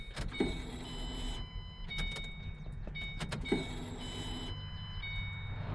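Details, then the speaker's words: Fuel pump in a 2007 V6 Mustang, heard from under the back seat at key-on: a steady high whir for about 1.5 seconds, twice; normal priming during a no-start after an accident, owner suspects air in the fuel rails. "all right so the fuel pump's definitely working my guess is we might have just a ton of air in the line coming down these fuel rails"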